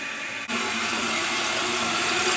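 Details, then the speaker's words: Toilet with a fill valve over 20 years old, probably 24: water fills to the top of the tank and flows over the overflow tube, a steady hiss that never shuts off; worn fill valve, fix is replacing it for about $10. "Now you see this? The water's all the way up to the top and it's flowing over that little tube and draining, and it won't stop."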